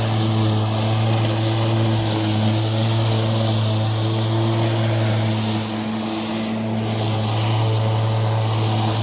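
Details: Milwaukee battery lawn mower that shuts off seconds after starting, kept running by holding pressure on the bail/clip (owners suspect the clip or something beneath it); steady even motor hum holding pitch, no surging or cutting out; normal running.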